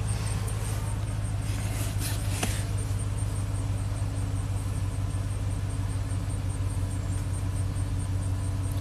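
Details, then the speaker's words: 2003 Chevy Silverado Classic V8 with an intermittent no-crank, started once fed from battery positive: low, even rumble with no knocks, misses or ticks; idles smoothly, fault traced toward ignition switch. "if we go from positive there you go perfect starts and runs fine"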